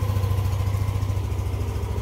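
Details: Yamaha Aerox 155 v1 keyless scooter idling after replacing the CKP sensor that caused error 12 and no-start: steady, even single-cylinder putter with no misses or knocks; runs smoothly, error cleared.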